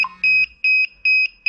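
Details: DJI Mavic Air remote controller at power-on: a high, clean beep repeating about two and a half times a second; this is not a fault, and it is cleared by doing Remote Controller Calibration in the DJI Go4 app.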